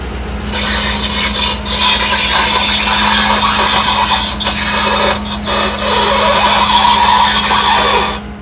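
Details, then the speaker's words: 2013 Chevrolet Avalanche LT Z71 4WD rolling slowly off a tow truck: harsh gritty grinding over a steady hum from the front right wheel; front hub bearing failure, hub suspected to have come apart internally and damaged the ABS sensor. "ecause when I play back this sound of the wheel coming off the trailer excuse me off the tow truck you can tell it's definitely a wheel bearing problem so I think what's happened is internally the hubs grenaded and damaged the sensor"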